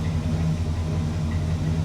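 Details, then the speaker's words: 1965 Cadillac big V8 restarted after breaking down, oil pressure light on at start: deep, even, steady idle with smooth low rumble, no knocks or ticks; healthy normal idle, dieseled at shutdown earlier. "Oil light is on. That should go out relatively quickly. Perfect. Sounds healthy. Sounds great."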